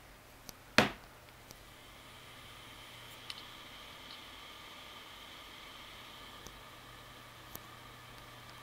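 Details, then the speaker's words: WD1600JB 160 GB hard drive with clicking heads, after swapping in identical donor electronics board: faint steady platter hum, no head clicks; normal spin-up, though capacity and model not detected. "wydaje się działać nie ma pojemność i nie ma modelu ale to jeszcze nic nie znaczy"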